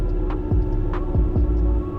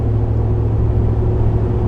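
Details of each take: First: 2013 Ford Raptor, 184,000 miles: a steady low hum holds under the drivetrain noise, without knocks, from the rear end; the U-joints are also suspected of noises. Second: 2013 Ford Raptor Gen 1, about 184,000 miles, driving after rear-end rebuild to cure a humming rear end: only even low tire hum from Maxxis Razor MT mud-terrain tires, no whine or clunk from rear end; quiet, healthy differential.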